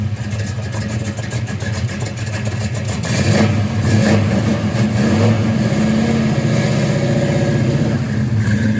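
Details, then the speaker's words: 1966 Mustang GT fastback V8, cold start just after its substantially original exhaust was replaced with a new system: lumpy burble at idle swelling smoothly on a throttle blip, no knocks or rattles; normal idle and rev, sounds healthy. "a cold start we're going to hear the fresh exhaust it'll sound like the exhaust that was on there before because it was not that bad"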